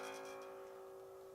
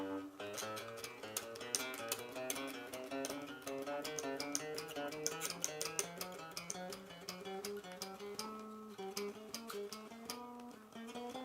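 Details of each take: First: Bass with a Hipshot tremolo, tuned a half step down: a plucked note rings with a thin, rattly buzz at the attack, fret buzz because the bridge is set too low and needs raising. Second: Trem Explorer bass with Hipshot tremolo, tuned a half step down, after truss rod neck tension was slackened and the neck is fairly straight, plays clean steady notes with no fret buzz.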